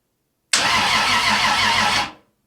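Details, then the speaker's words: 1978 Datsun 280Z with 2JZ engine swap on ECUMaster Black standalone, first-ever crank test with ignition off, on an old used starter. Brief even cranking with steady rhythmic compression chugs; turns over healthily, definitely has compression. "It does. I was worried that that starter, it's an old used starter, might not be any good. But let's try one more time. We definitely got compression."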